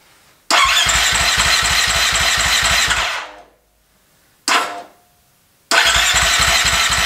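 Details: Husqvarna FE350 converted to FE 366, first start after a full rebuild: electric starter cranks at a steady two-plus beats per second but the engine never catches. The spark plug wire was not fully seated on the plug.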